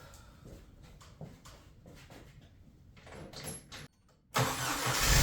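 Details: Jeep TJ with a no-start problem, after installing a new starter and reconnecting the battery: faint clicks, short pause, then the engine catches quickly and runs steadily; normal start after starter replacement.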